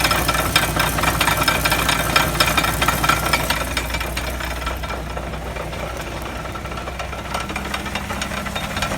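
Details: Wheel hub bearing heard through a mechanic's stethoscope: constant coarse growl with a rough knocking undertone and no clear beat; worn hub bearing noise.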